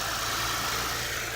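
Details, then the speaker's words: 2006 Lexus GS300 3.0 L after engine and harness swap, previously crank-no-start with all coils not firing (P0351–P0356); after replacing a blown fuse restoring 12 V to the coils it starts and idles by itself smoothly, no misses or knocks. "okay moment of truth we're going to crank it [Music] and it started it's idling by itself"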